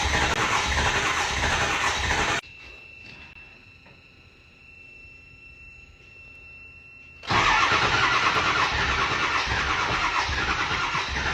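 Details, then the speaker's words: 7.3 Powerstroke diesel that stranded its owner, after long fuel pump priming: long run of steady cranking at about three pulses a second, stopping and resuming without firing properly. "man it wants to start it's all pretty sad"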